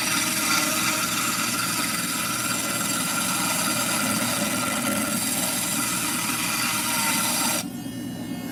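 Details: Cabochon grinding of a stone, rounded and now being pulled up to form the dome. A steady, even scraping hiss with no chatter or catching as the stone rides the wheel; normal, smooth grinding.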